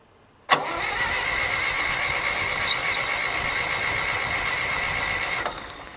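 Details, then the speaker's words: John Deere 1010 tractor after a carburetor replacement, full rewire and a cleaned starter: the starter whirs steadily for about five seconds with a thin high whine, but it never catches. Fuel valve was left on and the tank ran bone dry, so the carburettor gets no fuel. "Why is my fuel not fueling? I really hope. I did leave the fuel on. She's bone dry."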